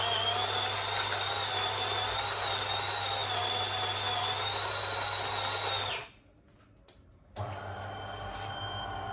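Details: DeLonghi coffee machine grinder adjusted finer than the factory minimum, on the second try after old particles cleared; steady high-pitched grinding whir for about six seconds under load, then a clean cutoff; normal grinding at a fine setting.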